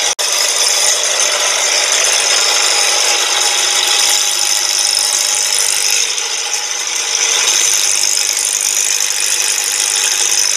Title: 2010 NISSAN SENTRA WHAT A BAD TIMING CHAIN GUIDE SOUNDS LIKE- Rattling/FLAPPING Engine Noise